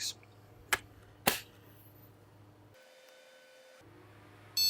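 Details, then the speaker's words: PC with LGA 1155 board after repeated CPU socket pin correction, case speaker fitted, one memory module in first slot: a single clean beep about a second long over room hum, a normal POST boot. "예, 이렇게 인식이 됩니다. 들어왔죠? 삐 하는 소리가 정상 부팅이 되었어요."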